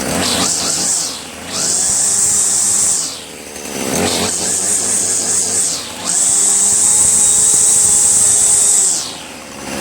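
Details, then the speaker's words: Troy-Bilt TB70SS 33cc two-stroke trimmer, unused for three years, after fresh gas-oil mix and hi/lo carb mixture screw adjustment: revs climb cleanly to full and drop back repeatedly with crisp, responsive throttle and no bogging. Running strong. "It's actually very responsive. You can tell how strong it is too. Very responsive."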